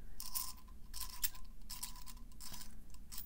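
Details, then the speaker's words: Kaweco Supra Fireblue fountain pen, first unscrewing of the new barrel before lubrication: harsh scratchy squeals in bursts as the dry metal threads turn; dry thread squeak. "oh god it just it sounds so horrible i have to lubricate this as soon as possible but i wanted you guys to have the authentic experience that i had the first time i unscrewed this barrel"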